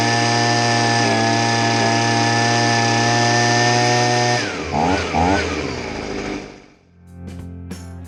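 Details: Stihl SH85C two-stroke handheld blower, after a no-start carb rebuild and tune-up: holds a high, even buzz for about four seconds without surging, then winds down cleanly at shutoff; running properly.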